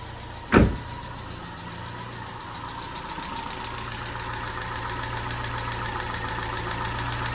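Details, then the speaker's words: Peugeot 207 engine first start after a snapped timing belt, head gasket rebuild and new timing belt, fuel primed; catches after a cranking burst and settles to steady idle with light quick ticking, too tappy, owner thinks tappets need readjusting. "sounds a little bit tappy that don't it is that is that too much I think that's too much tapping isn't it but at least we've got a running engine again"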